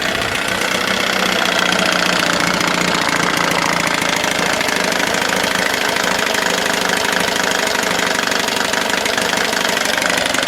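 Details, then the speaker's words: 1979 Johnson 6hp outboard with low compression, running in a water bucket without priming: steady fast-idle buzz with a dry, rattly edge, but no cooling water comes out; owner suspects a cooked water-pump impeller. "it runs do I sound happy I'm not because there's no water coming out of it so the either the impeller is cooked or the impeller's cooked"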